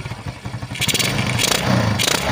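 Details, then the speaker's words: Kawasaki Fury 125 with 24mm carburetor, main jet 110, after adjusting idle (minor) mixture from boxer settings: putters unevenly at first, then picks up cleanly and revs freely on each blip; normal throttle response. "So yan, maganda na yung response nya. So goods na ito pang itong minor."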